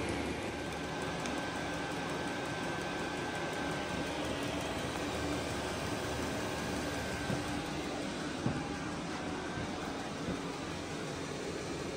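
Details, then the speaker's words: Vevor 8 kW 12 V diesel heater running: just a steady soft small-fan whir with faint hiss, no combustion roar; normal quiet running. "So in an installation where both the intake and the exhaust were outside of the compartment you were trying to heat, this thing makes very little noise. Just the sound of a small fan running."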